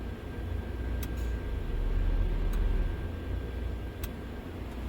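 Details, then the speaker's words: 2010 Subaru Forester, key on engine off, intermittent crank no start: sharp relay clicks about every 1.5 s over steady fan roar; ECM cycling radiator fan relay 2 and AC compressor; test connector found wrongly connected. "radiator fan relay number two is also being switched on and on on and off that is not normal but the ECM is commanding it"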